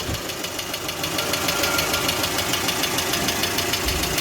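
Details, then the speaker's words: 2020 GAZelle Business with UMZ-4216 Evotech 2.7 aluminium-block engine, only 823 km: one hydraulic lifter taps crisply and evenly about three times a second, at idle and at higher revs. "проблема стук стук гидрокомпенсаторов короче давайте запустим послушаем какой-то один гидрик постукивает как на холостых так и на оборотах"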